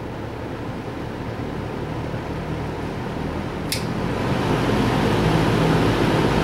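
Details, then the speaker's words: Restored 1966 Lakewood Country-Aire fan, cleaned, oil pads soaked in motor oil, one switch connector replaced, run from low to high: steady, even whoosh of air over a low motor hum, swelling at high; smooth and healthy. "So we'll hear it run. Start it off on low, work our way to high, and then stop."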